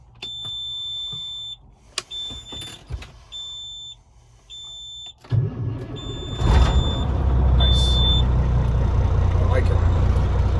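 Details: 2006 Kenworth W900B, one owner, converted from twin to single turbo, sitting a couple of days: dash chimes, brief crank, then it fires and settles into a deep, steady, even rumble; a healthy cold start.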